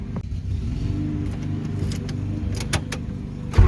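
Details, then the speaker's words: Built B20 VTEC turbo with a new battery and no fuel supply yet: strong, even starter cranking with steady compression pulses and no firing; healthy cranking, it just lacks fuel. "So he is definitely cranking with some power, guys. So all we need is fuel and we're good to go."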